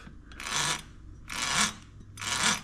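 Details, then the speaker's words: BBSHD 1000W mid-drive motor after about 2.5–3 years and 10,000+ miles without internal maintenance, dirty and rusty, spun by hand with crank arms and chain off: dry gritty rasp rising and fading with each turn, feels rough. "Feels really rough. So, and it's actually hard to, like, it's hard to notice these noises and like this resistance and like the not smoothness until you get like the crank arms and the chain off and everything, and you can just spin it on its own, and it's like yeah, that doesn't sound good."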